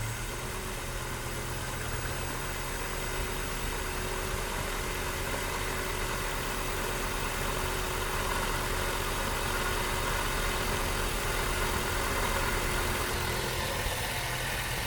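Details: 1998 Volvo S70 that would not start after P0116/P0117 codes and flooding; after replacing the coolant temperature sensor and thermostat, cleaning and oiling the cylinders, it fired on the third crank and now holds a steady, even idle with no stumbling.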